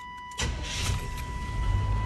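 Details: 1984 GMC Jimmy 350 V8 after a new starter was installed: brief, strong crank, catches at once and settles into a steady, healthy run; normal start.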